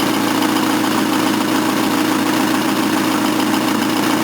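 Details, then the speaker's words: Engine at idle with a wrongly flared engine exhaust pipe flange that will not tighten; rough, raspy puffing with a loud hissy chuff over the engine, a bad exhaust leak at the flange, new engine pipe needed. "well apart from it still having a horrific exhaust leak that sounds much better bad exhaust Le"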